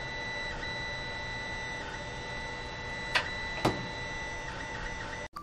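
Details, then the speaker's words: Creality Ender 5 Plus 3D printer actively printing on the original stock board: steady high-pitched stepper tones through the print with a few soft clicks; loud stepper whine before the silent-board upgrade. "i'm using the creality slicer here's what it sounds like with the original board as it's actively printing"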